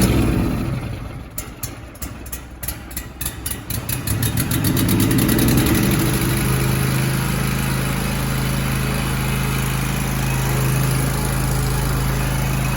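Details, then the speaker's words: Zero-turn mower that probably sat about four months with likely stale carb fuel, started with carb cleaner sprayed into intake: cranking catches after a few seconds, then single-cylinder settles into steady even idle; normal idle. "Got good idle. yeah. Okay, so whenever you add the external fuel source through your induction system, what's happening? Well, you're adding a fuel source that is ignitable, that you know is ignitable and will burn."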